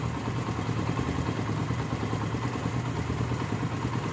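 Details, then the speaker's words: Honda CD70 single-cylinder motorcycle idling after a silencer was fitted: steady, even low putter with no knocks or rattles; engine and exhaust sound healthy. "यह आप check कर सकते हैं engine का sound भी बिल्कुल ही प्यारा बन गया है"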